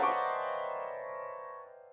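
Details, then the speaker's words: Old Bösendorfer grand piano after a damper pedal adjustment: a struck note keeps ringing and fades slowly. The pedal is set too high, so the dampers sit high and don't damp; the pedal needs lowering. "the damper are sitting too high. I have to lower it a little. They are not damping now."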